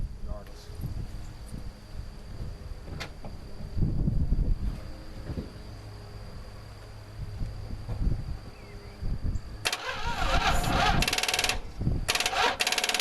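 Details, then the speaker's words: 1969 Dodge Dart 273 V8, previously stuck, after two months soaking, cranked to check compression on a weak jump pack: starter drags the engine over in slow, labored, uneven strokes that soon die off. "and this jump pack is weak so it's probably not gonna turn fast or turn very long"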